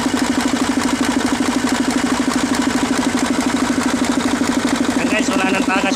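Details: Mercedes-Benz 1841 truck diesel with a hard-starting fuel line problem: a steady, even idle with a regular firing pulse of about three per second and no misses or knocks; the engine runs smoothly.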